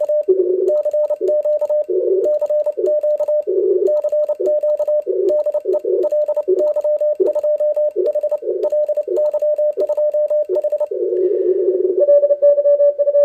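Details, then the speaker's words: ICOM IC-705 sending CW at 10 W into an end-fed half-wave antenna during an HF contest: rapid relay clicks follow every dot and dash, with nothing audible between them. Transmit/receive relay clicking in full break-in (QSK). "but in the reality you only hear the relays clicking the relay is clicking all the time and nothing could be heard in between the dots and dashes that's really a shame that's annoying"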